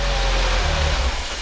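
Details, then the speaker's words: Peugeot 205 1.6 GTI finally starting after a no-start: engine catches and runs rough and low about a second, then sags and stalls after a few seconds; cause of cutting out unknown, otherwise sounded relatively healthy. "okay i'm not quite sure why it's cutting out after a few seconds but that sounded relatively healthy"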